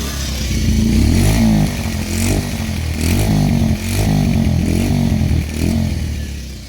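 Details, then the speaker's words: Pulsar 125, 2020 model, 5 years old and owner-maintained, single-cylinder: thumps evenly with quick throttle blips, clean pickup, no knocks or rattles. The owner says it sounds as when new; normal engine running. "మన కొత్త బండిలో ఎలాగుందో అలాగే ఉందన్నమాట ఇప్పుడు వరకు. అలాగే maintain చేసుకుంటూ వచ్చాను అనమాట."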